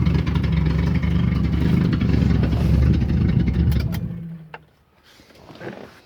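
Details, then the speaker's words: Datsun 260Z: rough, puffing exhaust note through a rev dropping back toward idle, uneven chuffing from an exhaust leak somewhere at the rear, not yet repaired. "got a little bit of an exhaust leak back here in the back somewhere you can hear it but uh I'm have to jerk all that up there just to get to that"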